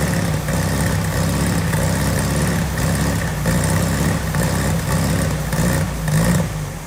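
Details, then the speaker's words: Volkswagen Beetle air-cooled flat-four, first start with a dry tank, fed only by spray fuel: surges and sags unevenly for a few seconds, then quits abruptly; fuel starvation, no gas in it. "It ain't got no gas in it."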